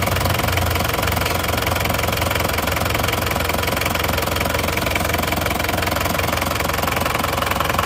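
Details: Isuzu Panther diesel at full working temperature after a repair, with nozzles 2 and 3 still leaking and due to be fixed: a steady, even idle clatter at about three beats a second, no standout knock, and minimal smoke. The engine sounds healthy.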